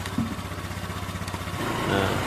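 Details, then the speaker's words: Honda Vario 125 engine, first test run after a full rebuild, radiator cap off: even, steady idle with a light throttle blip near the end, no knocks or rattles; runs smooth. "nah sudah halus ya kemudian air radiator tinggal kita isi lagi teman-teman"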